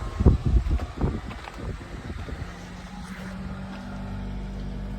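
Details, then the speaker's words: 1997 Honda CR-V with a fuel-related crank-no-start, after the key was cycled and the fuel pump buzzed and built pressure: a few clunks, then a steady, even, smooth idle with no misses; now running. "All right. Moment of truth. The car is now running."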